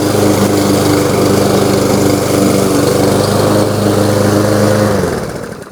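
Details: New Lowe's M230 163cc self-propelled lawnmower cutting tall grass in mulching mode at about a 3.5–4 inch height: steady, even single-cylinder drone holds speed through the cut, then winds down; healthy engine under load.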